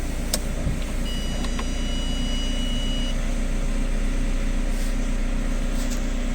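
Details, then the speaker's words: 2012 VW Crafter 2.0 BiTDI twin-turbo diesel, about 270,000 km, started on a weak battery: steady even idle with a smooth low beat and no knocking; owner had reported knocking and power loss, engine sounds healthy. "вроде как ровно работает стука не слышно Ну давайте посмотрим вроде нормально работает отлично"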